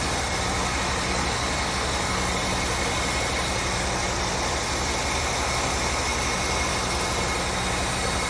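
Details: 1975 Ford F100 just restarted after sitting a while: steady, even idle with a low constant rumble, no misses or knocks over the hiss; normal idle.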